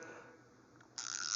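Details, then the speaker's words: GearWrench 84-tooth 3/8-drive ratchet, the owner's longtime workhorse: a short, fast, even fine-toothed buzz with no catching or skipped clicks. Smooth ratchet action. "Smooth action. It was my workhorse for quite a few years."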